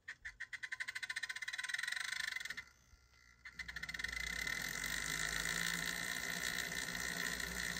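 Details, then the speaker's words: Atlas model locomotive, unrun for a long time, on powered track: fast uneven clattering buzz, then a rough gritty whir, before cleaning the wheels with a track-mounted wheel cleaner; motor runs harsh and noisy. "not too bad doesn't sound good all right so let's do let's do a little cleaning on it and see if it improves it at all there we go sounds horrible"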